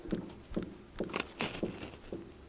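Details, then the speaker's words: Chevy square-body 4x4 with a Dana 44 front axle, knuckle rocked by hand during ball joint replacement: soft dull clunks about every half second from play in a worn ball joint, top one bad; a seized axle U-joint also caused steering problems. "oh you know what I think I did have a bad ball joint I felt some movement in here"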